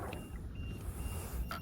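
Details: RC boat on two lipo packs with a precision lipo voltage alarm: thin high-pitched beeps about every half second over wind and water noise, the low-voltage alarm warning that a cell is low.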